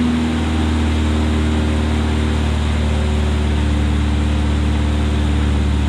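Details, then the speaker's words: 1972 Opel GT revived after decades sitting, just started: steady low idle with slightly uneven beat; vacuum leaks at the carburetor base gasket roughen it. "I'm going to tell this carburetor part because we figured out there's some vacuum leaks on the uh we I tightened up th"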